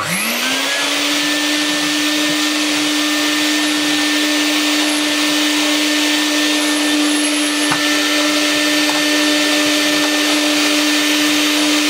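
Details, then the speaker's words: Used car-boot Vax 121 carpet cleaner on its suction head, after the Power Plus head performed terribly: motor spins up quickly to a steady, even high hum with no surging; suction works much better. "that works much much better"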